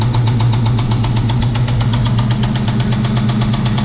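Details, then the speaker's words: Ford Mustang V8 at rough idle, first start in two years after a new fuel pump, with a steady deep metallic rod knock about four times a second. The valve cover area looked fine, but metal flakes in the oil confirm a bottom-end failure. "well yeah that's definitely right knock pull the valve cover off everything looks good and there's a bunch of metal flake in the oil so definitely got a bottom in issue"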